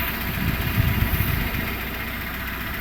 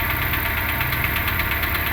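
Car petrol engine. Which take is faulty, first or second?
second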